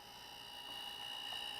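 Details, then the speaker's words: Homemade silent air compressor build, pump running and building tank pressure: faint steady high-pitched hum, no knocks or rattles; runs smoothly and very quietly. "That's the quietest air compressor I've seen. It's popping up. Why can't all air compressors be that quiet?"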